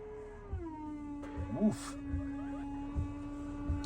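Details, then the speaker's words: Flood-damaged Buick Rendezvous after rebuild, testing the washer sprayer pump. A loud steady motor hum drops slightly in pitch while it runs, with a few clunks around it. An unusually noisy washer pump. "why is that pump so loud"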